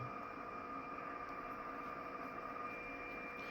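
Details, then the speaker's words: Kenwood TS-940S receiver near a solar setup: constant hiss with steady whistling tones swamping the band; RF interference from solar inverter, owner shuts off array breakers. "solar is wiping me out. This is a solar. I can hear it. Like, what in the hell? And it's particularly bad today, which I don't know why."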